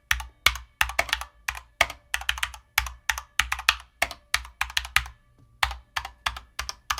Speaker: but you probably heard a little bit of a hollow sound, maybe some pinging here and there, right? And that is known with this case.